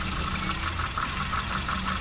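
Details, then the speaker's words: 2017 Hyundai Accent petrol engine at idle with code P0302: uneven, pulsing rough idle from a cylinder 2 misfire, with lack of power and odd exhaust noises. "código de diagnóstico da a entender que la pcm del motor o del vehículo ha detectado que uno de los cilindros del motor no está realizando su trabajo de forma correcta en este caso sería el cilindro número 2"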